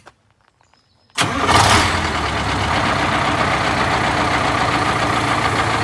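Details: Detroit Diesel 8V71 in a 1971 MCI MC7 bus after oil and filter change: quiet, then a crank and immediate catch into a strong, even idle that settles quickly; normal cold start and idle.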